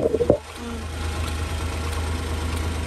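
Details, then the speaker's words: Honda Acty mini truck after replacing a cheap aftermarket fuel pump with an OEM-style one: brief clatter on startup, then a low, even idle with no pump whine; the new pump runs quietly and smoothly. "start frying up and you can already tell that fuel pump is way quieter way smoother"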